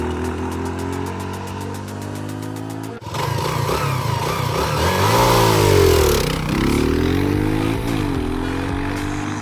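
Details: Rebuilt €500 motorcycle with a reassembled carburetor: engine catches and runs smoothly, pitch rising and falling cleanly with a couple of blips under background music; sounds healthy.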